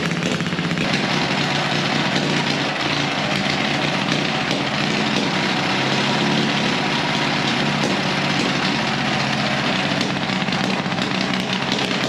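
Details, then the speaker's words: Gasoline pony motor on a late-1940s/early-1950s Caterpillar D6 cable dozer, a barn find that sat for years, just started: loud, even, busy clatter holding a steady speed throughout while warming up. Normal running. "on top of that thing wow it is noisy next step is to engage the clutch and turn the engine over"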